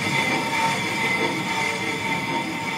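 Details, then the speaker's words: Renault Trafic rear drum brakes after fitting new shoes and bearings: steady scraping hiss with a faint ringing squeal as the wheel turns, new shoes rubbing the drum until they bed in over a few kilometres. "le bruit de frottement bas ça c'est les français tant que ça va s'user tant que ça va se mettre ensemble donc il va falloir que je suis une paire de kilomètres pour roder les freins"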